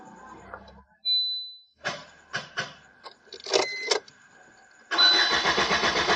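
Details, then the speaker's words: 2012 Maruti Suzuki Swift Dzire diesel VDI that stopped while running: key-on chimes and clicks, starter cranks evenly but never fires, check engine light on, oil light absent; crank no start traced to faulty ECM wiring. "friends, there's no response in the vehicle."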